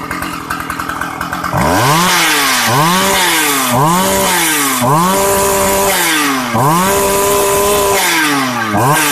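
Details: Shindaiwa 757 two-stroke chainsaw, used, easy starting, oil pump working; brief idle then repeated blips to high revs, climbing cleanly and dropping back without stumbling, strong; normal running.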